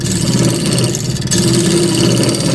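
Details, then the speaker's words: Wood lathe turning a long piece of yew for a table lamp, squaring and undercutting the face: steady hum with a fast buzzing tool chatter, making the cut very delicate. "very delicate because of the chatter you can hear."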